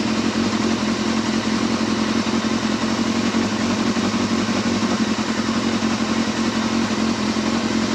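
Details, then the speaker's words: Yamaha Thundercat four-cylinder motorcycle just reassembled, running in a polytunnel with 3 litres of oil, petrol light on: even, steady idle with crisp quick throttle pickup, no knocks or rattles; owner says it sounds lovely. "Sounds lovely, this does."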